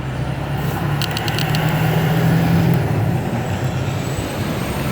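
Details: GMC Envoy Denali that would run 45 minutes then die and not restart, after fuse box replacement: a few quick clicks, then a steady low rumble at an even idle without stumbling; starts and runs normally.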